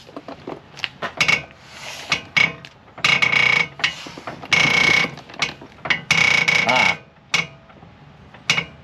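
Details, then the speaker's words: 2001 Honda CR-V front suspension, heard from underneath while the car is rocked and the wheel turned: sharp dry creaks and squeaks in bursts from the passenger-side tie rod end, whose rubber joint is squished flat; worn tie rod end. "so it's definitely coming from this tie rod end do it again all so this piece that connects from here to the knuckle oh and now when I do this I can see that it's very worn"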